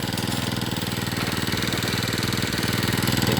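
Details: Two-stroke brush cutter that ran but would not spin its blade, after replacing the clutch drum, shaft and bearing: runs steadily with a quick even buzz, picking up slightly toward the end; runs normally.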